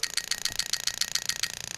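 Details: 1UZ-FE plug-and-play harness for a 89-91 Toyota Celsior, IS200 with J160, injector 5: crisp, even high-pitched ticks about seven a second with nothing else behind them; injector clicking normally.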